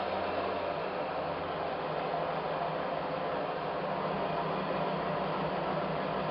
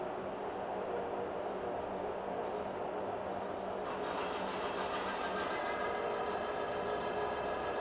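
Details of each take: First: Mecacyl demo friction test rig running conventional oil under 5 kg load: a loud, steady hissing rush with no letup as the lubricant film reaches its limit and starts to seize, close to film rupture. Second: Friction test rig demonstrating Mecacyl hyper-lubricant with cleaned roller and fresh ball surface: quiet, steady whirr with even rhythm and no growl at start-up; normal running.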